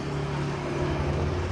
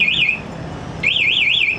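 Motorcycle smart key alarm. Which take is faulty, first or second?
second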